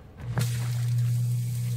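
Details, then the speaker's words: Newly installed Zoeller M98 half-horsepower backyard sump pump on French drains: click and rush of water, kicks on right away, then a steady low even hum with no rattle, pumping quickly; normal pump running. "hear it kick on right away sucks that water out really quick"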